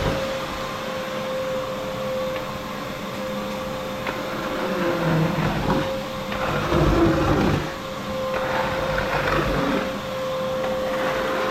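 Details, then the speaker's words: Vacuum running: steady, fairly high motor hum under an airy rush, even throughout; owner says it really sucks, a good vacuum but kind of noisy; normal running. "She really sucks. She's a good vacuum, that one. But it is kind of noisy though."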